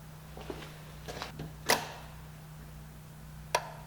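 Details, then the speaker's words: 2004 Pontiac Sunfire 2.2L with a crank-no-start; heard at the front fuse and relay center at key-on, sharp clicks over a faint hum as the relay turns on for about five seconds then times out; fuel pump relay working normally. "right click comes on for like five seconds then it turns off I'll do it again ready turn the key off keys on and then it times out and clicks off not to me sounds like the fuel pump relay is working"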